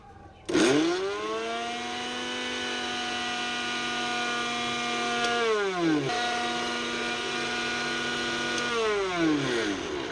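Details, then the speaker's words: Mixer grinder runs normally without its jar but screams with a harsh, rough roar under its whine once the jar is fitted; the noise comes from the jar. "यहां हमने mixie की आवाज को भी सुना है और jar को लगा के भी इसकी आवाज को सुना है तो यहां हमें यह पता चलता है कि इसका जो जार है यह ही सबसे ज्यादा आवाज कर रहा है"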